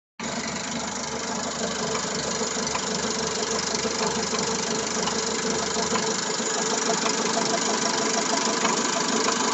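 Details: Engine at steady idle with new cam phaser, water pump and timing belt and fresh Elf oil: light, fairly regular tapping about three a second over the idle; knock of unknown origin.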